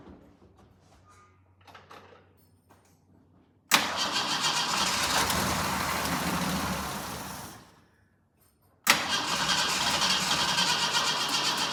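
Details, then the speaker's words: Jeep J10 with rebuilt carburetor and refitted gas tank, cold weather: engine catches and runs a few seconds on a splash of fuel, then fades and dies; fuel starvation, no fuel reaching the pump, owner suspects weak pump. "right, we know it will run with a splash of fuel. challenge is still not getting any fuel up to that fuel pump."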